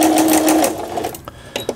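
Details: Singer 6160 sewing machine during repair: steady even motor hum with smooth needle rhythm that winds down after under a second; machine runs and stitches normally.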